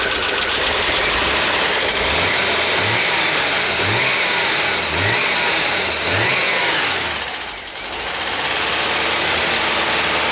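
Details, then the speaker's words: VW Westfalia, cold start after cylinder head replacement (old head suspected cracked): an uneven, lumpy idle with a light, regular lifter tapping on top. It is expected to run rough until the lifters pump up after the head job. "Yeah, we're getting there. Gonna run rough till those valves pump up too."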